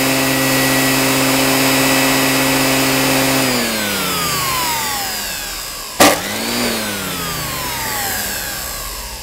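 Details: Qualcast electric motor after rebuild: steady even whine for a few seconds, then a smooth spin-down with a single click; free-running, normal.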